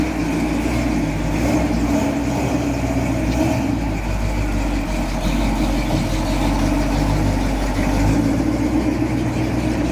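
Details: 1978 Jeep J10 Honcho V8 after sitting about 15-20 years, following carburettor work: steady low idle with slight hunting unevenness, holding under its own power; cause of roughness unclear, carburettor throttle return spring still missing.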